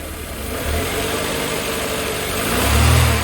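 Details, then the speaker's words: 1988 Mercedes 190E W201 petrol engine after valve stem seal replacement, no longer misfiring on acceleration but idle uneven, revs drifting and swelling; idle speed needs adjusting, air hoses not yet refitted and admitting air. "So I think I need to adjust the idle speed there."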